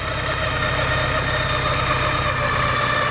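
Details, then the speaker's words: Porsche 944, a little warmed up after needing a jump start, previously wet belt noise gone; steady even idle with smooth low rumble, no misses or knocks; running normally. "seems to be running pretty good"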